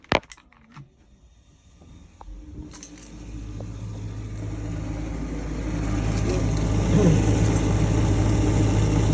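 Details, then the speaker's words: Furnace previously misdiagnosed as a pressure-switch fault, after resetting and switching on: click, then low inducer motor hum builds smoothly and settles steady; inducer starting normally. "all I got to do is switch it on and then the inducer is going to kick on"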